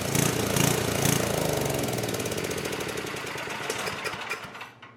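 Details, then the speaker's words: Old 10 hp gasoline generator converted to propane/LPG using only an aftermarket carburetor's LP regulator, choke open: uneven galloping run with sharp pops and backfiring; owner suspects it runs lean, not drawing enough fuel. Surging and backfire. "So, it's not running perfect. It's got a little gallop to it and a little backfiring, which kind of indicates like it's lean. So, maybe it's not drawing enough fuel."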